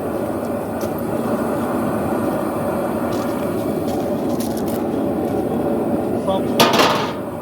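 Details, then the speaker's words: Vevor two-burner propane forge during forge welding, air reduced for less oxygen: steady roaring hiss, no sputter or popping, fire sound changing as air is reduced; burner running normally on reduced air. "Okay, so you can hear the sound of the fire change now, because now there's less oxygen in there."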